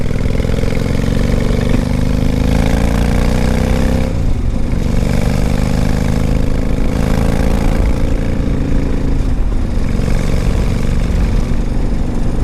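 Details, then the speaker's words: 1995 Honda Shadow 1100 V-twin with 22,000 miles, started on a warm day without choke: a loping idle with a couple of clean blips and no ticking or knocking. It runs well. "is of course a the twin and uh it runs pretty good"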